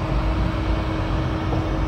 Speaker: with the assembled van or the van fan which is shipped with the chassis you can you have a lot of noise if you put a lot of stress to the CPU as you can hear right now